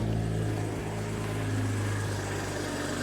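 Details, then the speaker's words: 2023 BMW M240i salvaged from a wreck, first start with a dead battery, run on a jump box with distilled water in place of coolant: smooth, steady low idle hum with no ticks, knocks or misses, described as butter; normal healthy idle. "That's literally butter. What in the world? That's literally butter. That is so smooth."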